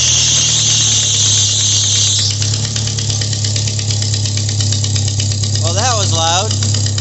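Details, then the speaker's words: 1997 Jeep Wrangler 2.5L with poor power and code P0118 (ECT sensor), fuel pressure gauge fitted, started in neutral: loud high shriek over idle right after start-up, the fan belt slipping and squealing, then a rough chuffing idle; blown exhaust manifold gasket noted. "Alright, well, besides that was loud, for those of you who had headphones on, I was not expecting the fan belt to screech."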